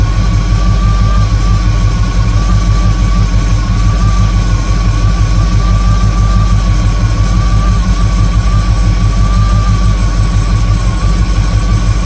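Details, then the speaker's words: 1958 Chevrolet Apache V8 during rebuild, idle after timing adjustment: deep, even idle with steady low rumble, no misses or knocks; good vacuum, excellent throttle response, timing right on; normal idle. "I think that's where we're going to let it live. It's got good vacuum. Excellent throttle response. Timing's right on. This is good to go."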